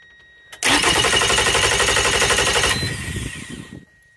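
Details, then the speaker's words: Outboard motor on a two-battery bank wired through a battery switch set to both, after battery-cable and voltage-drop testing: brisk, even cranking about four turns per second, spinning down smoothly; starter now sounds strong, resistance dropped from about 1,800–2,000 to 200–300 ohms. "obviously it obviously sounds a ton better you can hear the starters actually behaving"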